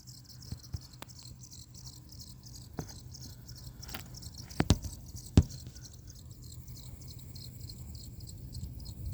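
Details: Lian-Li TL LCD 120 mm PC fan at low speed: soft hum with a repeating high, thin squeak, about 1.5 chirps a second; it squeaks randomly at lower speeds.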